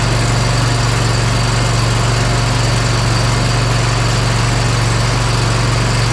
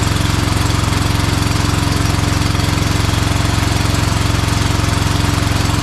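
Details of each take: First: Bad Boy Maverick zero-turn mower, Kohler Confidant V-twin, after replacing the ignition coil on the cylinder that was losing spark. Smooth, even idle with no skips, both cylinders firing, run for about 40 seconds: normal idle. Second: Bad Boy Maverick zero-turn mower with a Kohler Confidant V-twin, low on power: runs with a steady, lumpy thump after losing spark on one side once it ran a while; failing ignition coil suspected.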